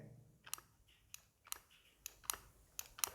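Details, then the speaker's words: RO water purifier float valve switch: seven crisp clicks at uneven intervals as the float is moved up and down, the on/off switch toggling properly. "இதுதான் பார்த்தீங்கன்னா இந்த சுவிட்ச் தான் பார்த்தீங்கன்னா உள்ளே work ஆகிட்டு இருக்குது."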